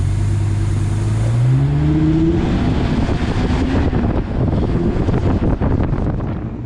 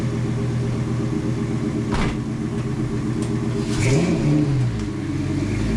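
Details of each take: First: V10 Mustang build, started the next morning after rewiring the MAF sensor and reconnecting a forgotten main ECU plug: the engine catches and revs with a climbing tone, then settles into a steady rumble; engine starts and runs. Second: V10 swapped into a Mustang, after rewiring the MAF sensor; catches fairly quickly, then a slight uneven stumble before a short rev blip; mild starting stutter, camshaft position sensor code later found.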